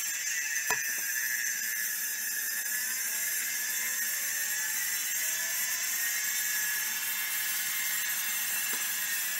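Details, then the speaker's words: Stiff Miniscribe drive, track zero re-adjusted and heads pulled to the inside track: thin high spinning whine with faint scratchy seeking sweeps; likely won't fully initialize due to stiffness and a massive head crash. "anyways you can see the drive is spinning and seeking now it's probably not going to initialize all the way because this is still rather stiff and because obviously massive head crash but that won't stop it from starting necessarily"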